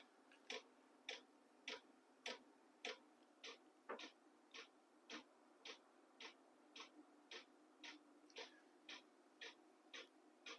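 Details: Battery-powered 12 V diesel heater heating a cargo container workshop, set to level H2 of H1–H6: soft steady clicks about every half second over a faint fan hum; the fuel pump is clicking normally.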